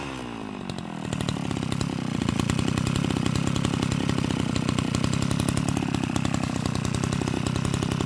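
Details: Type 328 brushcutter engine converted from a float carburetor to a diaphragm-pump carburetor, cylinder flipped to the top, idle adjusted: catches and settles into a fast, steady two-stroke buzz with even firing, no misses or surging. Normal running.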